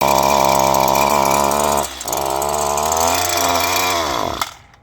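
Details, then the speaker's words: Two-stroke string trimmer that stalls: high buzzing revs sag and drop, pick up briefly, then wind down and die; a clogged spark arrestor screen in the exhaust is choking it. "So like you're stalling or something like that, guys. So I'm gonna show you a way to fix that."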